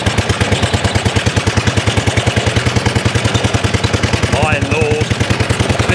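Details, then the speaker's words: 1930s Dennis Z Type 30in lawn mower, single-cylinder, no exhaust fitted, after points and carburetor clean, with drive and cylinder engaged and some revs: loud sharp pops about three per second under load, backfiring while driving. "bit of a back part going on i love this this is proper"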